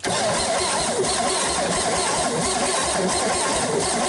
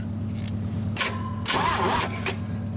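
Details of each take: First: 1961 GMC 305 V6 cranking before its first start in years, after fixing a troublesome wire, with a low battery. Strong, steady cranking with an even beat and no catches; compression sounds good and even. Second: GMC 305 V6, first start in years: steady low starter drone with a few louder surges but no catch, cranking to pull fuel up into the dry carburetor bowl.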